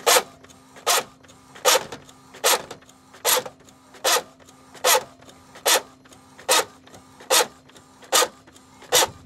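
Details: Epson L565 printer that also prints double lines: a harsh grinding rasp repeats about 75 times a minute, once per print head pass, over a quiet background. Printer grinding noise, cause unknown.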